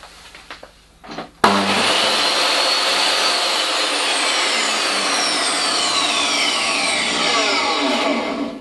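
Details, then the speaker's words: DeWalt DW745 job site table saw universal motor, before fitting soft start module: slams on instantly with a harsh crack then a loud steady high screaming whine; abrupt across-the-line start with no soft start. "the only thing I don't like is the noise it makes not much I can do about the running noise it is after all Universal motor and converting it to an induction motor is a bit of a problem but the starting noise hmm I can't do something about that"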